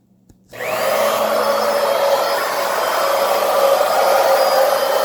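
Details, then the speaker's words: Pump draining a gurgling, roughly 5-year-old hot water heater tank of sediment switches on into a steady, fairly loud constant-pitch whine under load; normal pump operation, tank drained in about 10 minutes. "a little noisy, as you can hear. But look at the water flow coming out the other side. I mean, let me shut this pump off, because it's quite noisy."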